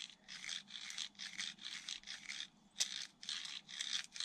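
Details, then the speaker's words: Arrma Outcast 4S V2 differential hand-turned in its case: gritty rasp about twice a second with one sharper binding spot. Owner suspects slight gear thickness variation plus extra case force; debris seen, apparently getting past the bearing surface. "It's fine there. It's just right there. It's because of the gear. The gear's got a slightly different, probably thickness to it."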